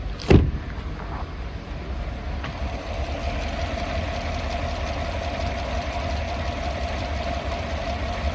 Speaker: think it's got a Little Rock to it that's about it